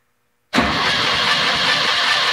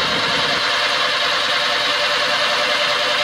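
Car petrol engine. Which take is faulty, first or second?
first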